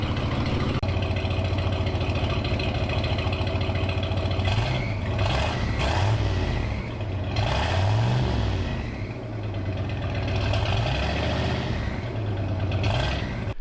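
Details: 1969 Ford F100 farm truck with a cheap turbo setup, fully warm after running several minutes: deep, even V8 idle, a few throttle blips rising and settling smoothly; no smoke now, though belt squeal up front and valve covers leaking oil.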